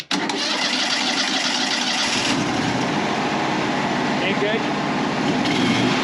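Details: Wood-Mizer LT35 sawmill's 25 hp Kohler engine after carburetor swap (old carb sputtered badly at idle), started cold without choke: steady even note without sputter or misses. Normal running after repair.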